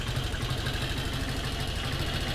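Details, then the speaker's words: Carbureted 125cc Chinese budget commuter motorcycle, carburetor air screw adjusted for a decent idle neither stalling nor too high: steady, even low putter with no misses or hunting; normal idle. "And I'm adjusting the air screw and looking at the RPMs, also listening to the sound of the motorcycle to find where it has a decent idle, but is not going to turn off on me, but not too high."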